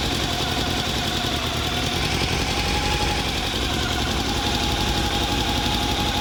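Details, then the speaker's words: Honda CB400 engine after long storage with rusted liners and valves, idling: fast, light top-end ticking persists after valve clearance recheck (clearances small); exhaust leak noted; owner suspects cam straightness or valvetrain wear. "Medyo okay na pero meron pa rin siyang ano eh lagitik eh na parang tunog crsung yung tumutunog."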